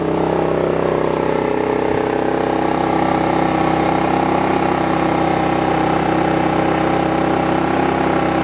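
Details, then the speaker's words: Sportsman GEN3500i inverter generator with about 17.5 hours, running with no load yet, measured at 79 dB right next to it in a confined space: steady unchanging engine hum with even pitch and no misses or knocks. "79 decibels i'm going to put the uh the load on in a few minutes but let's see how loud it is it's right next to it"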